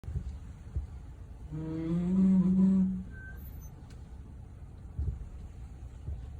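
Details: 2020 Ford F-150 groaning brake noise from the passenger-side rear wheel, starting at 3,000 miles and getting worse: a low moaning groan swells out of the road rumble for about a second and a half, then fades; cause unknown.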